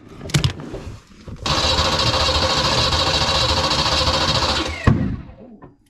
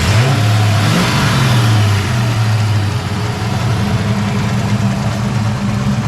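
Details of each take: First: Foxbody Mustang project car, newly swapped drivetrain, on its first start after fixing a no-power fuel pump connector: engine fires, runs a few ragged seconds, then a sharp pop backfire as it dies; owner thinks it is very low on fuel. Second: Foxbody Mustang project car V8 with a freshly installed drivetrain and off-road H-pipe exhaust, first fire-up: a few rev blips then a deep, steady, even idle burble, no misses; burning residue off the exhaust manifolds, clutch fan not connected, timing not yet set.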